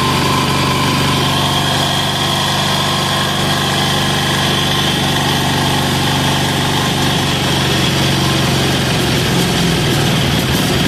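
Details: Amazon 186FA single-cylinder diesel started on diesel, then running on filtered used synthetic motor oil and warm: loud, steady idle with an even beat and no stumbling or knocking; running smoothly and healthily.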